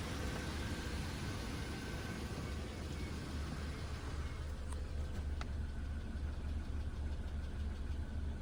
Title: Engine bay clicking noise